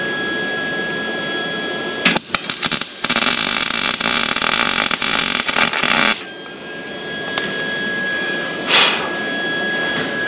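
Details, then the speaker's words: Steady frying crackle for about four seconds with little popping or sputter, sounding better than the last attempt, which spattered: a clean, even weld on bare metal. "oh yeah that sounded a lot better"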